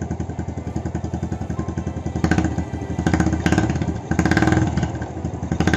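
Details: Honda Astrea Legenda carbureted single after clearing a stuck slide jammed by old wire insulation (needle had come loose) and cleaning the carburetor: even idle thump, crisp throttle blips rising and dropping cleanly; engine healthy.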